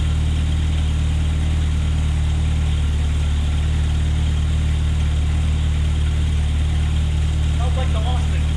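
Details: 1972 Opel GT after readjusting timing: deep even idle around 1100 rpm, firm steady pulse, no stumble or hiss; normal idle.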